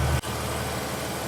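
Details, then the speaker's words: 2006 Mercedes SLK32 AMG, V_tech ECU/TCU tune, 65mm supercharger pulley, new 92mm Hellcat throttle body and ported snout, first cold start in a garage: catches and settles into a steady, even low rumble, no surging; smooth, no check engine light. "So this is straight up just a cold start, and it's sounding pretty good."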